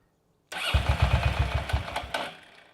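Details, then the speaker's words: Motorcycle now running on its own fuel system after a plugged vacuum line to the fuel valve was fixed. A burst of cranking chuffs, then it fires briefly and starts cleanly. Revving still chokes it; owner suspects the carburetors. "That sounds promising. It's all great now."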